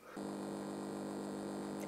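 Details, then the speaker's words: Darren Yates 1W "Champ" transistor amplifier, max 12V DC, no input connected, volume fully up: steady buzzing hum with a faint wavering tone underneath; low-level oscillation. "there is a low level oscillation there somewhere and that's where no input connected in that volume control all the way up"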